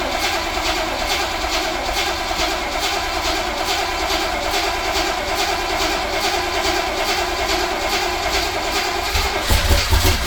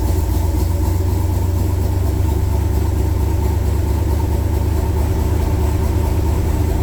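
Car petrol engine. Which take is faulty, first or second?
first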